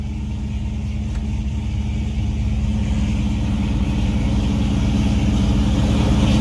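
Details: 1996 Mustang engine after swap, reportedly pushing oil out of the dipstick tube (suspected bad ring): deep, even rumble building slightly with no knocks or ticks; engine runs smoothly.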